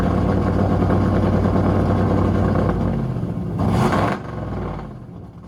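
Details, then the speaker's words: Freshly installed 410 LT1 (built 2024, 4" Callies Magnum crank, M&M-ported AFR 210 heads, mild hydraulic cam) in Pontiac Formula, warming up: loud, choppy, steady fast idle, cuts off cleanly; sounds pro-street, normal idle. "It sounds like what? This thing sounds like a pro stuff."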